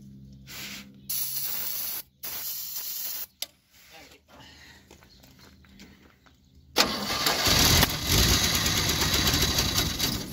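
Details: 1957 Chevrolet 210, first start since 1991 on starting fluid with no fuel supply. Several short cranking bursts, then it catches and roars at full throttle, going back to half throttle. Engine firing briefly on starting fluid.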